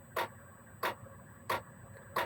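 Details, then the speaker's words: Gearlasso 8kW 12/24V Chinese diesel heater in manual gear mode, program 01, the lowest constant setting, after start-up. Sharp fuel-pump ticks about every 0.65 seconds over a quiet, steady fan hum. Normal low-output run. "And this will run fairly consistently at this low rate because gear one is the lowest if you like constant setting."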